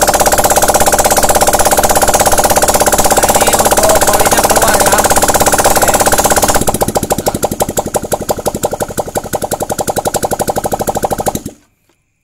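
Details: Honda Vario 125/150 injection, first start after the cylinder head and block were reassembled, kept at low revs for break-in: the engine fires, runs steadily, then settles into even pulses about three per second before shutting off; it runs normally.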